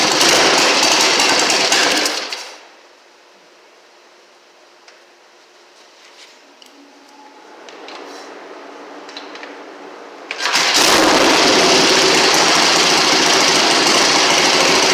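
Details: 1960 Harley Sportster Ironhead, sat since 2010, after magneto/points check, carb cleaned, fresh fuel, timing and points set, kick-started: loud even rapid chuffing that stops, then returns and holds steady, no misfires; normal running.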